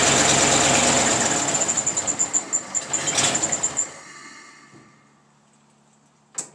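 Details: 1934 Ford sedan, original 1934 rebuilt flathead V8, first start in 30 years after distributor and coil rebuild, new plug wires, lubricated cylinders, oil change, fresh fuel from temporary can, no priming or choke: rapid even pulses build, runs briefly, then shuts off.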